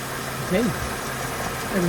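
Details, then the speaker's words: 2004 Mercedes CLK 320 W209 V6 idling after an oil and filter change (Castrol 5W30). Soft, even idle hum with no knocking, ticking or misses: a healthy, smooth-running V6. "is running nicely, everything sounds good, nice as a V6 sounds, and that's pretty much it."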